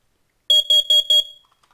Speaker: two different forms of protection for your home and your family and two different sounds the carbon monoxide alarm